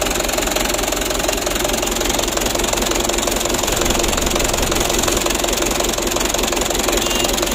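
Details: 2010 Mitsubishi Canter diesel truck at idle: a hard, uneven clatter and a shaky, unbalanced beat; rough idle, to be evened out by adjusting the injection pump plungers.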